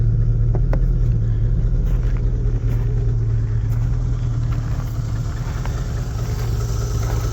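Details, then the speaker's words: 1971 Lincoln Continental Mark III V8 idling after a rebuild with new pushrods, a lifter, a head gasket, a timing set and an Edelbrock intake; a deep rumble with light ticking. The owner blames the new Carter mechanical fuel pump and suspects exhaust leaks. "My M Carter mechanical fuel pump sounds like crap. That's the tick tick tick tick tick tick tick tick tick tick tick tick tick tick tick."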